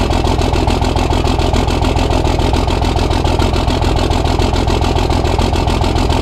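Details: Cummins diesel truck at its first start after engine upgrades: fast, slightly uneven idle clatter, about 140 beats a minute. The loose fifth injector line was spitting fuel, still to be tightened. Rough idle from a leaking injector line.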